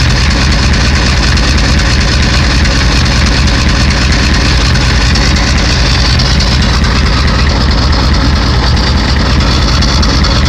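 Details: 1991 Ford 7.3 IDI diesel: a loud, lumpy idle with uneven clatter over a heavy low rumble; bad injectors suspected.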